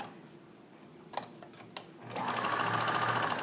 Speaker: my machine is humming along i can hear it sounds very happy